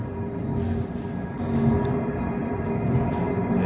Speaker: You can hear that mechanical thump [music] as this wheel pulls the train up and down the mountain.